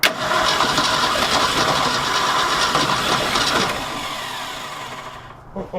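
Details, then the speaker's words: 1966 Ford F250 with a 352 FE V8, parked since 1992, carburetor rebuilt, cold February day, choked: the starter churns, the engine catches for a few seconds, then fades out. Spark is confirmed; fuel not reaching the carburetor is suspected. "he's gonna run he's gonna run so good just gotta figure out getting fuel to the carburetor that's gonna be the next thing"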